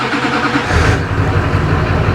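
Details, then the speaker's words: 2004 GMC 3500 Duramax diesel started after refilling about 3 gallons of oil into a deep pan: catches quickly and settles into a steady, even low rumble with good oil pressure, no knocks or misses; healthy start and idle. "start it up and see where the level's at all right this thing usually starts up super"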